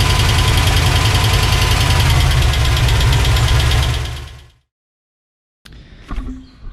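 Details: 1986 Chevrolet C10 with Gen 6 454 big-block V8 at idle, stock stamped-steel rocker arms out of adjustment before roller rocker install: deep rumble with quick even ticking about 3.5 per second; valve train tapping.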